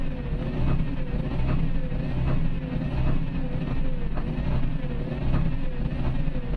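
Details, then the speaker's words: Isuzu Forward diesel truck stalling while driving and hiccuping, no check light, scanner fault P0336; idles low and uneven with a loping stumble about once a second; crankshaft position sensor fault, loose connector suspected. "बाकी सब चीज़ ठीक है, लेकिन इसमें ये ऐसे roughing कर रही है ये।"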